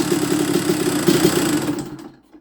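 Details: 1994 Honda CR125 two-stroke on a cold night, after clearing dirt-blocked pilot jet and setting air screw 3/4 turn out; crisp even idle burble for about two seconds before cutting off, mixture about right. Normal idle.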